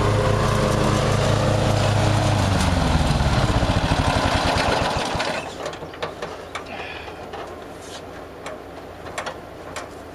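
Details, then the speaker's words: Murray riding mower, first run of the year after long storage and a mouse nest cleaned out; gas half full and not old, filter unchanged. A steady, regular single-cylinder chug with no stumbling or surging, then it winds down cleanly; running perfectly. "It ran perfectly. Made a liar out of me."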